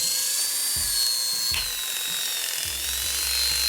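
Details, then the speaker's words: Hair clipper fitted with an unoiled, rusted orange blade that had sat unused and was stuck: high, thin, strained, labored buzz; dry blade dragging for lack of oil. "see how horrible that sounds?"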